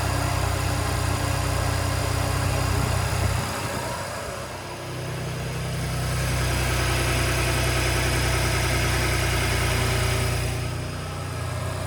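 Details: 2017 Ford Raptor cold start: petrol engine idling roughly with a metallic rattle over its steady low drone.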